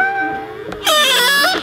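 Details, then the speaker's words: BMW X1 E84 exterior mirror folding electrically after oiling the fold mechanism with silicone and graphite oil: loud, wavering high squeal rising and falling for about a second as the mirror swings; both driver and passenger mirrors squeak, worse than before oiling. "jetzt man hört jetzt der quietscht und auch der Beifahrerspiegel quietscht ich mach's noch mal"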